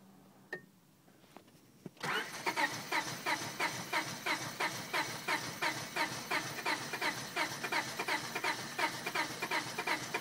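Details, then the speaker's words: 1999 Honda Civic petrol engine after a cold night: steady starter cranking at about three pulses a second, fuel pump heard engaging, no firing; won't start cold, starts fine warm, hesitates on acceleration; fuel pump, filter, battery ruled out. "okay this is my car 99 honda civic and this is the sound it makes when i try and start it"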